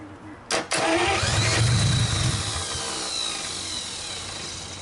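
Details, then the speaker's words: 1949 Buick straight-8, first start in years, with distributor cap and rotor from a 1950 parts car and gas fed to the carburetor, timing being advanced; brief starter burst with no steady firing, cranks but won't catch. "Alright, not quite sure what's going on here. She's just not wanting to take off yet."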